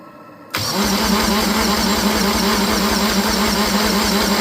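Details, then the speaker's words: Untested scrapyard Universal M25XP marine diesel from a Catalina 36, cold and needing more preheat, cranking on a stand. Starter churns about three beats a second; the engine wants to fire but never runs: hard starting from fuel starvation. "Oh, it wants to fire. It's not galloping though. No, it's not."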